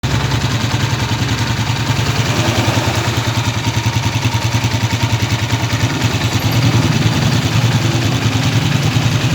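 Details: Honda TMX 155 single-cylinder motorcycle idling, just after valve adjustment, with an uneven metallic tapping that comes and goes; worn rocker arm with excessive play causing valve tappet noise.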